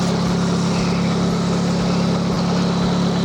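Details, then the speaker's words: Nissan 240SX after GTX2860 turbo upgrade (RS Enthalpy manifold, 850cc injectors, FMIC, 340lph pump, Z32 MAF), steady even idle with no hunting; sounds really good, with only a small exhaust leak audible and no other leaks seen. "all right so it sounds really good"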